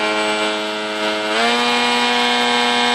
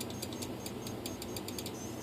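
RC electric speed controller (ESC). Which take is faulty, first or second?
second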